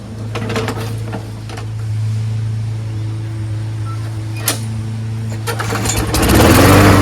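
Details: Craftsman 21in push mower, Briggs & Stratton Quantum 6.5HP primer-bulb engine after swapping in another carburetor with original gasket: steady even drone, no surging or misses; runs great, problem was just the carburetor.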